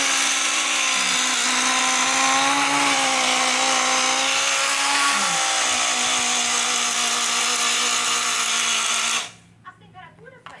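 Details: Taiff hair dryer: loud, harsh, high whine with a wavering pitch, then stops, caused by a worn motor bushing (mancal), fixed at home by replacing the bushing.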